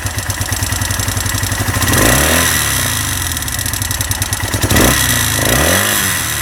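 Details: Honda SL 175 single-cylinder engine at idle with two quick throttle blips: fast, uneven rattle over a lumpy idle, something loose inside the engine; owner unsure of the cause.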